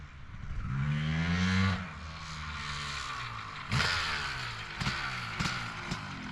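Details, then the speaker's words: 2003 Honda CR250R two-stroke, test ride: revs climb crisply, then flatten and fall away before the top. Top-end bog; owner suspects the electronic power valve is misadjusted or the engine is loaded up, unconfirmed. "All right, so that was actually a pretty good test ride other than it bogging on the top end. I had an '02 same identical bike."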